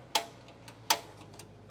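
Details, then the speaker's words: 2020 R-Pod 193 RV griddle: knob pushed in and rotated to big light section gives sharp dry snaps about every three-quarters second with faint echo, igniter sparking until it lights: normal igniter clicking. "So you're going to push and hold it in, and you're going to rotate it. And you can see, you hear that clicking noise. That's actually an igniter."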